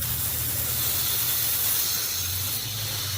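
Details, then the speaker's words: Home irrigation system winterization blowout: constant hiss of compressed air rushing through the line as air is sent into the system with a valve open and the filter hose bib on; air flowing normally. "now we have air going in the system. Now, I don't know if you guys can hear that."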